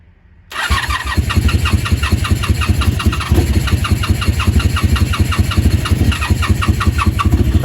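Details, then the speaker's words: 1987 Honda Super Magna project, after a new battery, spark plugs and fuel flow work, running on full choke without starting fluid and with the intake uncovered: a loud, choppy, uneven rough idle that sounds unhealthy, picking up slightly as it warms. "all right we're running that was with no starting fluid doesn't sound super healthy"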